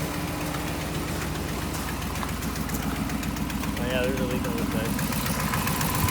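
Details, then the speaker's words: 2015 Ram 5.7 HEMI after an aftermarket DynoVox header install: a V8 idle with a sharp, rapid ticking puff from a passenger-side header gasket leak, using the kit-included gasket. The driver side with a Fel-Pro gasket is quiet. "so quick little side note driver's side is quiet as a mouse the passenger side is leaking pretty good good"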